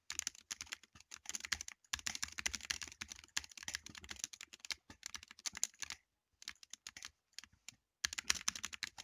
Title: Apex Pro TKL clicking sounds